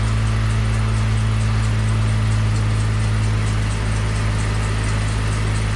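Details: Slammed ice cream truck started after sitting out a Michigan winter, on a chilly day: smooth, steady idle with a constant low drone and no knocks or misses; normal idle.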